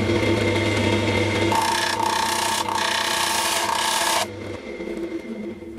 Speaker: I presume you can hear that. It just shows how much this bowl's gone out of shape since I actually made it.